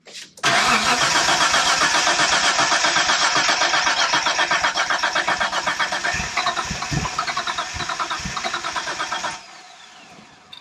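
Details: 1992 Dodge Stealth R/T Twin Turbo project car, running on a borrowed battery, with the fuel pump relay out. It cranks strong and even at about four compressions a second for nine seconds and never catches. The engine is getting no fuel.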